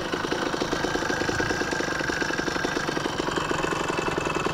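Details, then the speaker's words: Phantom 85cc two-stroke motorized bicycle engine, after replacing the failed stock piston pin bushing. It is not fully broken in, its mix may be running a little hot, and it has a slight gasket leak. It ticks over at a steady, even putter with no rattle or knock; a healthy idle after a run at about 42 mph. "so far it seems like it's holding up everything looks pretty good"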